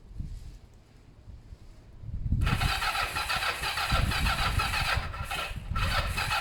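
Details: Kawasaki ER5 twin during service and repair, cranking on the starter but not starting: long steady churn with a rough chuffing beat and no catch. Owner thinks the carbs have fuel and will check the plugs are clean and sparking. Cause unconfirmed.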